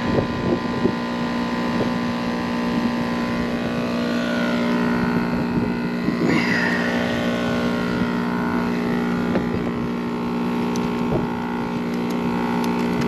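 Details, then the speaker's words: Packaged AC unit, three-phase compressor that had overheated with open windings: steady fixed-pitch droning hum, pressures about equal, warm suction line, amp draw about 52-53, not pumping; possibly out of phase. "my ampd draw sounds like it's on 52 4 6 53 Wonder it's out of phase that just seems strange it's just not pumping"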